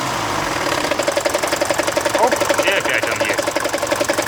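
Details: Mercedes OM601 diesel, warm idle, oil pressure half a bar: fast, even metallic rattle heard from the injection pump, gone with a little more rpm and absent cold; failed head gasket bleeds oil away from the timing chain tensioner, slack chain rattle.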